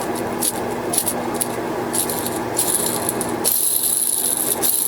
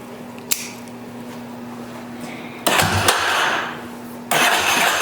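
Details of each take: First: Yamaha Warrior 350 ATV engine rebuild: old crankcase ball bearings spun by hand give a gritty, uneven rattle with scratchy hiss; metal debris likely flattened the balls, one bearing seized, possibly from overheating and an expanded race, worn ball bearing. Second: Yamaha Warrior 350 ATV single-cylinder after bottom- and top-end rebuild: fires readily, blips and settles into steady thumping idle, no knocks or misses; little exhaust smoke only from spilled oil, possibly loading up slightly; normal start and idle.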